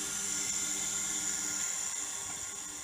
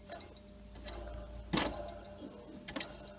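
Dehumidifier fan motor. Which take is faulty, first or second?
second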